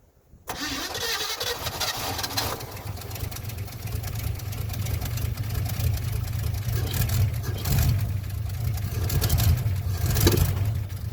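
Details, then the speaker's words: '57 Chevy with a rebuilt carburetor, first run in three months, idle raised: a lumpy, surging run after start with revs rising and sagging; running out of fuel suspected, not confirmed, then it settles. "Kind of sounds like it's running out of gas, huh? Oh, it's finding it."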